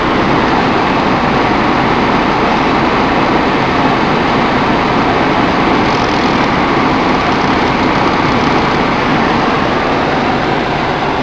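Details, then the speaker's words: Ford Focus cabin blower, newly installed replacement motor, engine running, A/C cold, rain outside: loud, steady rushing airflow, no rattles, ticks or squeal; runs smoothly at high speed. "Oh yeah, it's coming. Nice and cold. Alright, I'm gonna blast it."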